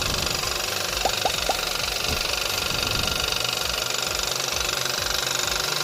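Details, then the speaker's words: Hyundai HB20/Creta new-generation TGDI engine: fast, fairly even ticking about three per second over steady engine hiss from the failing direct-injection high-pressure fuel pump; pump not repairable, fix is replacement. "já mostra o vídeo como o ruído da bomba de alta pressão"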